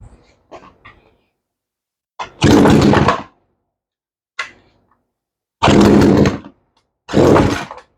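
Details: 18-inch Craftsman chainsaw that would not start, now running after a spline-tool carburetor adjustment of the high side only, with an already good idle; sharp, clean second-long revs dropping back between bursts, picking up crisply and healthy.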